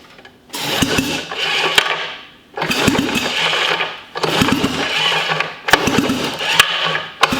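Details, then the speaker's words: Sachs Wankel KM24 rotary engine (from 1974 Arctic Cat Lynx snowmobile), spark confirmed: four short starter-cranking bursts, never catches; compression not tested but suspected low, description cites rotor pitting and compression leakage; cranks but won't start. "yeah that's odd and it sounds like i mean we can't we we didn't test compression or anything but i mean it sounds like it's compression"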